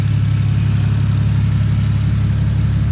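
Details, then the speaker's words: VL Commodore with a converted turbo Barra Greentop six (300,000 km), E85. It has fresh oil, no leaks and only water in the cooling system. It idles quietly and comfortably: a low, steady, even hum with no knocks, ticks or misses. "It's really quiet. It sits here pretty quiet and comfortably, and it doesn't look too bad on the engine bay, I don't think."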